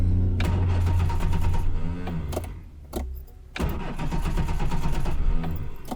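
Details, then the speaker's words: Reliant Fox broken down on a hill after an exhaust fix, only a little fuel added: strong quick cranking in two bursts, engine turns freely but never fires; no start, owner suspects too little fuel, unconfirmed. "oh i just haven't got enough fuel in there have i uh put more fuel in i suppose just trying to put enough in to get going but apparently that isn't enough"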